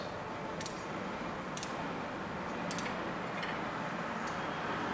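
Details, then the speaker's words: Bicycle wheel truing: light, regular tick about once a second as the rim brushes the gauge at a high spot between spokes, wheel out of true. "okay so it was hitting on these so I can tighten this and this again for one quarter turn"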